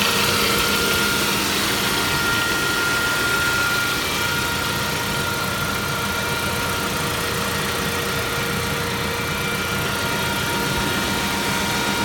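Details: Saab 9-5 Aero at idle: thin steady whine over rapid light ticking; the service shop first suspected an oil filter in the sump, but the cause turned out to be the water pump. Failing water pump noise.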